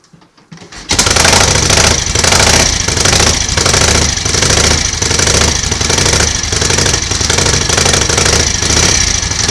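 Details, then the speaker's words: 1938 Matchless 990cc Model X V-twin, first start after years laid up, choke closed: fires after a brief silence and settles into an even, loping beat with no knocks or rattles; some exhaust smoke from oil. "sounds okay mechanically bit of smoke from the exhaust so it's obviously plenty of oil getting in and around the engine"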